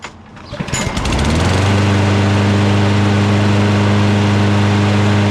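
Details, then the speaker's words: Lawn mower after new NGK spark plug and carburetor/intake cleaner spray starts within a second and settles into a smooth, even buzzing run with no misses; starts and runs much better than before. "Yep, it definitely started better and it definitely runs a lot better now."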